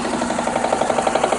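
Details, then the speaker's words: 2003 Mitsubishi Eclipse GS (147,000 miles, replacement engine about 102,000), crankshaft position sensor check-engine light; at idle from the engine bay, quick even tapping about twelve per second seems to come from the passenger side; source unknown, timing belt history unknown. "i'll give you another listen it really feels like it's on this passenger side of the engine from the engine bay i don't know what it is"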